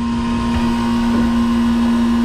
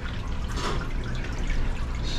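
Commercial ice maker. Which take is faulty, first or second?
second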